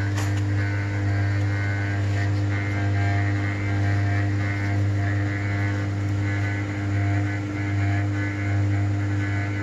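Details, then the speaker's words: Atlantic LF 454 TX washing machine during an intermediate spin of the cotton cycle; a steady low hum is heard, usually only with an empty tub, and it is harmless sheet-metal vibration. "Ripeto Questo ronzio che si sente che generalmente si sente solo a vasca vuota non è motivo di preoccupazione una semplice vibrazione della lamiera"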